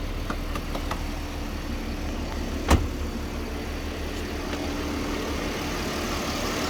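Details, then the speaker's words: Abandoned 2007 Mercedes ML350, 80,000 km, started despite a fuel pump problem and mouse-chewed wiring, jump-started: smooth, even idle with a steady low hum and one brief click; running normally. "Finally we managed to start the engine there was a problem with its fuel pump and had chewed wiring and"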